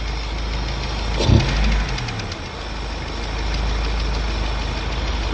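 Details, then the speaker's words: Daewoo Nexia petrol engine at even idle with light quick ticking fading in and out, mimicking a camshaft knock though camshaft already replaced three times; engine otherwise runs fine; loose valve in worn valve guide. "Moshada stuk bor. Motor ishlashda muammo yo'q. Xo'p. Bir yo'qolib qolyapti."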